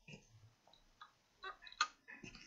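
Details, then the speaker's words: Acer Aspire 5349 laptop powering on: faint, sharp clicks repeating about every half second while it hangs on the boot logo, failing hard drive. "there's a clicking sound turning on and as you can see it's stuck here on the boats logo"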